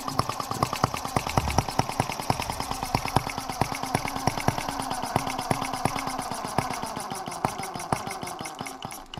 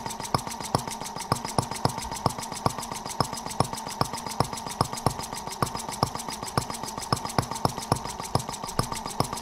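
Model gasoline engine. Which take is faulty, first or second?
first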